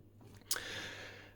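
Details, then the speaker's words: EA PS 7065-100 650W linear, pre-regulated power supply idling at 42 W: a very loud, steady low mains hum; the transformers were shorted by their mounting metal, passing hum to the chassis, and the owner found it easy to fix. "kan du høre brummen, så vi fik 42 watt tomgangseffekt åh, jeg kan ikke engang mærke vibrationerne, der er en meget høj brummen,"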